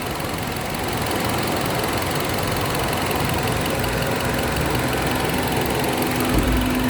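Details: Car engine at idle with an uneven, stumbling beat of about 3.5 pulses per second, a misfire at idle. The mechanic checks for an intake air leak.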